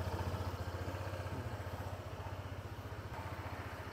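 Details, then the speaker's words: Honda PCX160 scooter idling just after an oil change at about 1,700: even steady pulsing settling slightly lower, no knocks or rattles, feels smoother. Normal idle. "Parang pagka bagong change oil, parang smooth ng takbo eh, no? Feeling lang, feeling."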